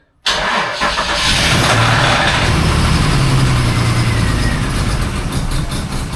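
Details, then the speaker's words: Cold start with gearbox removed and cats bolted back in: engine catches, then rough uneven idle with irregular, sporadic knocks still present, so gearbox ruled out; clutch area suspected next, cause not yet found. "All right, we still have noise."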